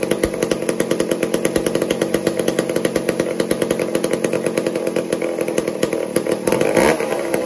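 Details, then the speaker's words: Old McCulloch 1-10 chainsaw being tuned to idle normally after long storage: crisp, even two-stroke pulses at a steady fast beat with a small blip; runs cleanly; spark had been stolen by debris that needed cleaning out. "watch what happens as I tuned this and bring it and settle it into its place where it'll idle and do normally"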